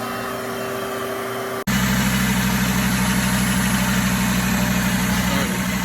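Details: 2012 Volkswagen Passat, sold as run-and-drive, starts after a new battery is fitted, then settles into a smooth, steady idle with an even low beat, no misses or knocks; engine running healthy.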